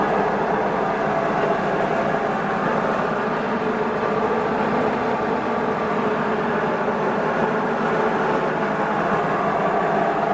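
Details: Refurbished Hobart 5701D meat/bone band saw, run via converter, new blade: quiet steady hum with soft whir, no knocks or rattles; motor runs smooth and healthy.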